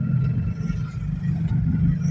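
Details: Toyota Innova while driving at about 40–60: steady, low droning rumble from the rear under road noise; worn rear wheel bearing.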